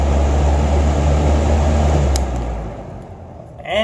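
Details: Holmes 20-inch box fan HABF-20: even low motor hum with smooth blade rumble, no rattle, ticking or scraping, spinning up and running; normal.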